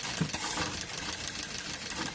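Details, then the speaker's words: Maruti Swift Dzire, company-fitted petrol/CNG, jerks only on CNG: rapid fine ticking from the four CNG injectors over an uneven idle with stumbles; injectors pulled one by one to find the faulty one causing the misfire. "Injector है ये इसका CNG का injector है टिक बज रहा है अब देखो इसमें से एक-एक करके मैं निकालता हूं इसमें पता चलेगा कौन सा गया हुआ है कौन सा खराब है"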